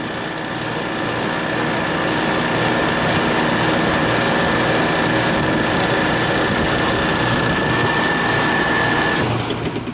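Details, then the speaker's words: Refrigeration compressor pumping down in frigid -14 wind chill, running steadily with a faint high whine, then cutting out cleanly at zero psi suction pressure; normal pump-down and cut-out; crankcase heater with thermostat fitted to liquid receiver to raise refrigerant pressure. "okay cut out at zero lbs pressure that's good now there some rigal G gas in the line expanding and the pressure it might kick on again if it gets up high enough"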